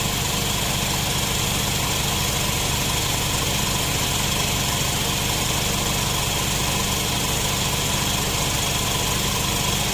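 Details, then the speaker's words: Nissan NV van at idle after the customer's loose A/C compressor was replaced with a new one; steady hiss, no rattle or grind, compressor quiet and cycling normally, cabin vent temperature 7.3 — normal A/C compressor operation. "หัวข้อแม่ลูกใหม่ทำงานกับต่อเป็นปกติก็เรียบร้อย"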